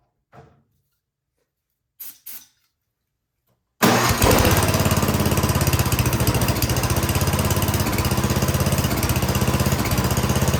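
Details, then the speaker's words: 24-inch MTD Yard Machines snowblower, carburetor found unbolted and refitted with new gasket, full choke: spraying and clicks, then engine catches on starting fluid and runs fast and fairly steady; fuel delivery suspected. "See if a little starting fluid gives it any encouragement."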